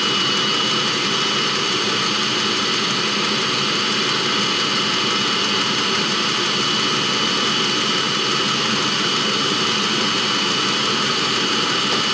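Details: 2016 Mercedes Sprinter (2.1 L four-cylinder diesel) diesel-fired block heater that runs on diesel from the van's tank and heats the coolant: a constant, even jet-like roar with a hissy top end and no surging or popping. The burner is firing normally.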